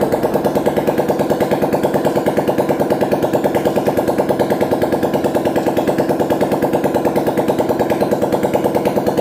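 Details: Old Pulsar motorcycle single-cylinder engine after a full engine rebuild (original camshaft mentioned), at idle: crisp, evenly spaced thumps at about three a second, with no rattle or tapping; a smooth, steady normal idle.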